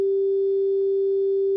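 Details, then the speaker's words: Fender Dual Showman tube amp, normal channel, 400 Hz sine at about 500 mV into input while checking for parasitic oscillation; pure steady mid tone with no fuzz, crackle or hum; clean output. "Here's a linear signal. I'm not using any sweeping at the moment, just so you get a nice clean sine wave, 400 hertz."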